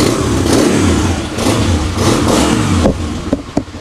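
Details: Yamaha XTZ 125 fitted with a replacement STX 125 carburetor after misfiring, overflow and check-engine problems, float adjusted so no more fuel leak: single revs rise and fall cleanly with no popping or hesitation; normal revving.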